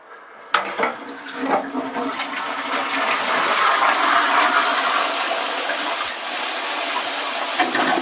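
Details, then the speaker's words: Original brass ball-cock cistern on a working chain-pull toilet from around 1870, quieter than many: sudden rush of water from the flush settles into a steady hiss as the cistern refills; normal flush and refill. "Go, you can hear the water coming in to refill it."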